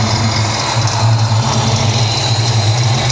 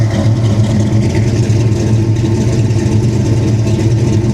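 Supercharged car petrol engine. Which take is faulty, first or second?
first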